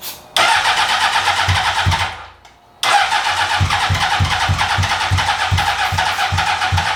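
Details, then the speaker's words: 2003 Honda CBR600RR, first start attempts on a newly acquired project bike: long, even starter cranking with a few weak catches that never keep running. Crank no start. "well it's it's almost there it's trying I'm going to make sure everything's not on fire"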